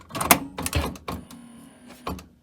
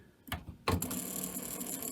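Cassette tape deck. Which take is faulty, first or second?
second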